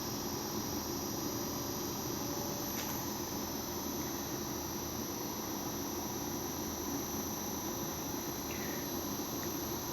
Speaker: gradualmente va subiendo el consumo a medida que también va aumentando las revoluciones del compresor se escucha el ruido del compresor cómo va acelerando